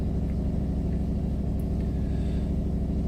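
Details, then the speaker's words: 2000 Dodge Durango 5.9 V8 idling, not fully warmed up, with a heavy rapid low puffing pulse over the rumble from an exhaust leak; check-engine light for the auxiliary fan after a relay replacement. "Now you can hear my exhaust leak."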